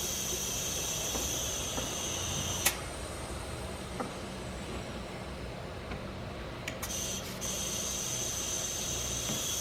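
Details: Audi B5 S4 twin-turbo, engine off, boost leak test with compressed air: constant, steady, non-pulsing airy hiss from the pressurised charge piping; leak traced to a charge coupler near the turbo inlet.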